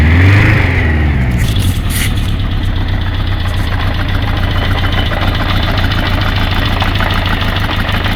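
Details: Kawasaki GPZ550 inline-four idling after head gasket replacement, noise appeared 3 days later; rocker timing redone, chain tight so owner doubts the tensioner; light, fast clacking over low hum; top-end ticking, cause unknown.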